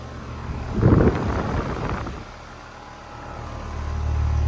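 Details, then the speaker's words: 2007 Bryant Base Series 2-ton R22 air conditioner with Copeland scroll compressor: brief bump, then smooth, even low hum builds and holds steady with no knocking or rattle; normal compressor operation. "It's got a really nice compressor sound. Yep, it's got a regular Copeland scroll. Nice compressor sound."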